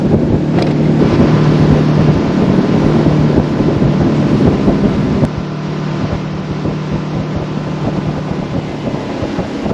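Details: Center console boat outboard, unused a long time, cruising on plane with old gas: steady drone under wind, then power drops suddenly with no throttle change; stale fuel surging, cured by running it out and refilling with fresh gas.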